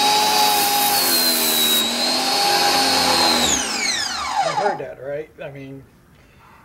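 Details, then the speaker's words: Ryobi 1600 PSI 1.2 GPM electric pressure washer, third use, turbo nozzle fitted; motor whine wavers and sags in uneven surges before dying away as pump loses prime; low pressure output. "wasn't doing anything different. It was having a problem producing the pressure."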